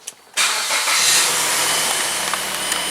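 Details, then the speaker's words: Mazda, after bleeding air from the power steering system: engine catches abruptly and settles into a steady hiss-heavy idle, no whine from the steering pump. Normal start, whine fixed. "and you can see, guys, there is like absolutely no noise, guys."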